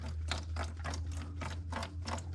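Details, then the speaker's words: Bobcat skid steer with Kubota V2203 diesel, crank-no-start after sitting 10+ minutes: newly installed replacement fuel lift pump primed and running, soft even ticking about four per second over a steady hum, no gurgling, hissing or air; pump replacement is the fix. "That's how it's squirting, pumping, and it's quiet. No gurgling, no hissing, no sucking air."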